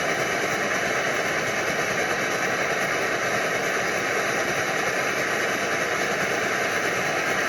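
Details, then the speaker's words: Older early-model Primus Omnifuel stove burning liquid fuel with its single fuel valve open all the way; steady loud roar with a fast, uneven flutter beneath it; the flutter can apparently be dialed out by closing the valve. "Can dial out the floater, apparently. See if I open it all the way, see, I get the floater."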